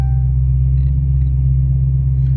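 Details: 2016 Dodge Challenger Hellcat supercharged V8, after spark plug replacement fixed P0300 misfire: deep, even low idle rumble, no stumble or missing beats; running smoothly, only EVAP code remains.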